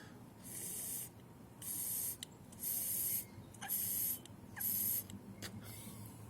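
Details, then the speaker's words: MTD Powermore 140cc mower engine carburetor, freshly cleaned and reassembled: air blown into the fuel inlet while the float is moved gives five short hissing bursts that stop cleanly, so the float needle is seating and sealing properly. "You can blow on this fuel input here, move this float up and down, and you should hear the air go on and off."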